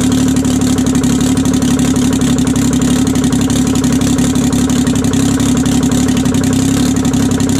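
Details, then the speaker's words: 1968 Detroit Diesel 3-53T after total overhaul, stone cold first run (engine about 4.5°C/40°F, outside -3°C): loud, steady diesel beat at even rhythm, no misses or knocks; good oil pressure, no leaks; idling healthy. "oh she runs pretty good guys no leaks and uh pretty well that's all i'm gonna run it it it's still stone cold but uh got really good oil pressure and there's no leak"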